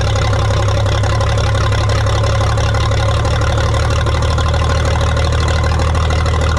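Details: 1962 Minneapolis Moline G704 tractor on propane, first run after years sitting: heavy, uneven lumpy beat; owner thinks it is missing on one cylinder, possibly spark plugs, unconfirmed.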